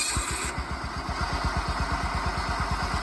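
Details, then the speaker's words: John Deere 175 Hydro lawn tractor with a charged battery, after a starter relay was added to cure its stuttering no-start. It fires and settles into a steady, even chug of about seven beats a second with no stutter: healthy. "start up every single time and you will not have any stuttering, except check your battery for any, you know, loose power or something like that."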